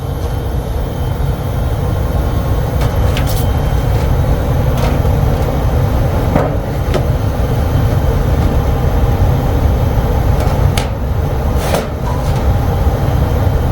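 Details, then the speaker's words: Bryant HVAC air handler that showed error code 41, after replacing the bad Genteq ECM 3.0 GC08 motor module: even steady whoosh of air with constant low hum, no scraping, rattle or surging; normal blower operation, which later ran about an hour with no code. "So is that noise good? This noise is good, but it needs to stay on. That's where we have the issue."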